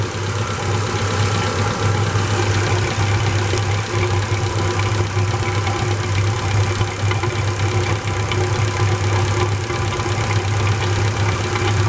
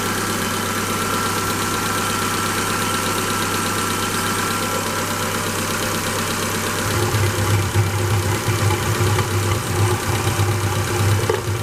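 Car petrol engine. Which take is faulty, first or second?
second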